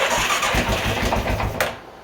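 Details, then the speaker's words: 2000 Arctic Cat 500 4x4 ATV, Suzuki 500cc single bought blown up, first start in neutral after cleaning the tank; fires briefly with a heavy, rapid knock on every revolution, then dies; owner hopes something is loose, but the original crank was later replaced with a used one. "God damn it's got the worst knock ever hopefully it's just something loose"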